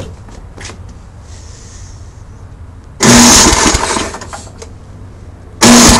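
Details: MTD snow blower with a Tecumseh engine on its first start after the carburetor was cleaned and the fuel and primer lines refitted, choke on: a loud, sputtering catch that dies back and catches again. It is starting and running normally.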